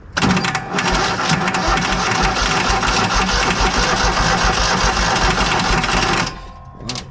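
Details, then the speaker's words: Kohler engine on a Hobart 10,000 W welder generator after carb cleaning, primed with carb/choke cleaner: ragged, uneven clattering with irregular bursts and stumbles; owner suspects bad old gas, possibly with water, still in the tank. "sounds terrible so it looks like that uh the generator does not want to cooperate in the gas that's still in there"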